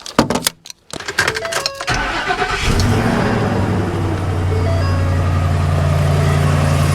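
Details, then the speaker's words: 2012 Ford F350, 6.2 L gas engine, after repair for code P06B6 knock sensor 1 performance, codes cleared: starter cranks, engine catches and settles into a smooth even idle, no clicking, ticking or odd noises. "replaced so far so good no clicking truck is running beautifully so far no issues no noises anything weird like that"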